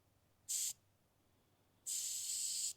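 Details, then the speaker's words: DIY car AC recharge: two sharp bursts of high hissing as cold Freon purges air out of the charging hose before the low-pressure side is opened. Normal refrigerant purge hiss. "there it is. The air is purged out."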